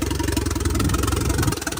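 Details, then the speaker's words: Vauxhall Corsa VXR replacement engine, after the whole wiring loom was replaced the next day: the engine catches and settles into a quick, even idle pulse with no misses; healthy running after start. "Alright guys, engine also, it's running spot on."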